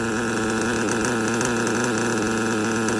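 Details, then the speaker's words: LRP 32x AMR modded nitro engine during break-in, tank nine, high-speed needle turned too lean; high buzzing strained thin tone without clean pickup, the limit, so go back to previous setting. "so that is when you go too far on the high so go back"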